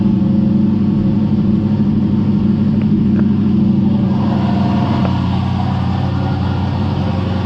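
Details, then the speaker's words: Big-turbo 363 Dart V8 in a Foxbody, new build, brief start at night after parts replaced: a deep, even idle burble with no misses or ticking; smoke was only spilled oil; sounds good. "i just want to start it so i can hear it run for a second and cross our fingers i guess"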